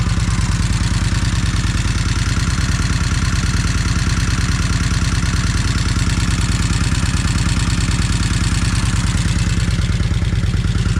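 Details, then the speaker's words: Kawasaki Vulcan 1600 V-twin first start after long storage on a new battery; steady loping idle with fast light clacking on every beat, owner attributes it to rocker arms; charging system then reads 14.7–14.9 V. "Okay, she's running. You can definitely hear them rock arms clacking."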